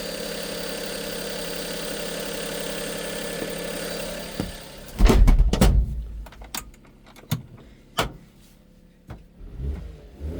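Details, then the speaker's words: Low-mileage Daihatsu 4WD truck, heard with the seat lifted over the engine: very smooth, quiet, even idle with no misses or knocks and no blow-by or condensation, then only handling clunks. Healthy normal idle. "Very smooth truck. Does not miss nothing anyway."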